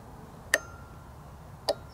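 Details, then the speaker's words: Razor E300 scooter converted to 48V controller and 48V battery, pressing the newly wired power switch: two sharp clicks against a quiet background, the controller relay engaging normally at power-on. "let me turn it on you can hear when I press a button will turn on the real line you can hear click"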